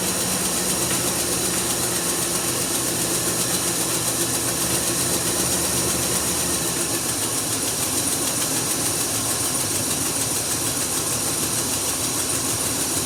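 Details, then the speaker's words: 1999 Chevy 1500 truck, 76,000 miles, cold first start after sitting a very long time: rough running with busy sharp ticking, exhaust puffing past a broken manifold bolt; no check engine lights. "so well that wasn't the smoothest running engine i've ever heard but it has been sitting for a very long time"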